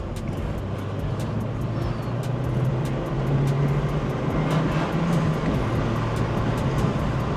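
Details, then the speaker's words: Vauxhall Corsa, previously misfiring, with coolant leak fixed, idling at a traffic light after a drive: steady even low idle rumble with no stumbles; normal idle, misfire gone for now. "but it's not misfiring right now, which is great. And we're idling, so."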